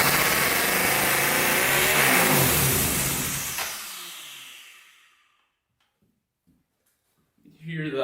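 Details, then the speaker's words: Turbocharged 1999 Honda 400ex that only runs on fuel fed by hand. It revs hard with a hissing whoosh, then dies within about four seconds. Owner suspects fuel isn't reaching the engine, possibly air leaks. "this basically only runs because that gas goes in there hmm it should push the fuel up through there maybe it's not making its way"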